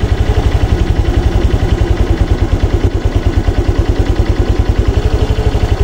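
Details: Honda Click 125 V3 scooter, after raising idle speed: steady even firing pulses at settled idle, earlier knocking gone, no stalling or hard starting; idling smoothly, though exact correct idle rpm unsure.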